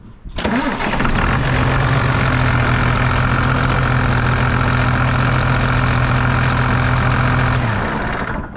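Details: Rebuilt rollover John Deere 8300 tractor, start after fitting quarter-inch hose in place of 3/16: quick crank, catches at once, steady even diesel idle with no knocks or misses; sounds healthy.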